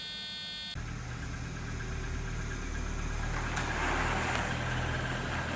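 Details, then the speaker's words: Audi RS2, about 30 years old with 200,000 miles and a six-speed, first startup at pickup: catches after a moment and settles into a smooth, even idle with a steady low hum and no knocks or ticks; normal idle. "I'm not driving but it's the first startup it sounds good running looks great"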